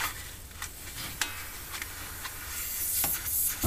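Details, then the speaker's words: Viking Professional wine cooler, unit pulled from wall: soft steady hiss of freon escaping with scrapes and rustles, a big refrigerant leak at the evaporator where the cap tube enters; corroded line, evaporator coil to be replaced. "i pulled it away from the wall and i can hear the freon coming out up here it's pretty pretty big leak oh yeah big leak there it is"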